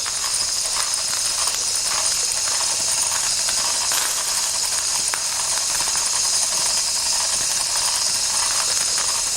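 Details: 1992 Wilesco D400 live steam toy tractor, no. 447 of 600, running after a fix: a steady hiss of steam with light, even mechanical chatter and no knocks, running smoothly.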